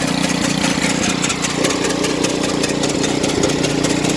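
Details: Snow blower small engine idling with uneven rhythmic patter and faint steady tone; abnormal running noise, cause unknown.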